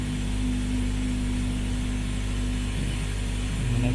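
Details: 2013 Ford C-Max Energi in EV Later mode with the driver door open: a steady low humming/whine holds for several seconds as the petrol engine starts when the gas pedal is pressed. The owner believes it is a loud fuel pump; the car later ran 40k+ miles flawlessly.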